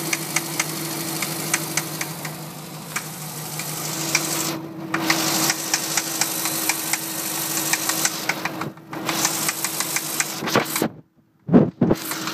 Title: Mini knocking noise